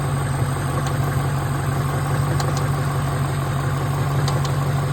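Steady low idle hum with faint, light ticks coming through every second or so; a ticking noise, source not yet pinned down.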